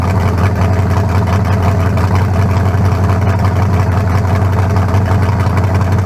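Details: 1974 Nova's new low-compression turbo small block (40-over, 3.48 stroke, forged pistons; replaces a cracked-cylinder-wall 388): deep, steady, even throb with no knocks or misses, sounding better than the 388. Normal idle.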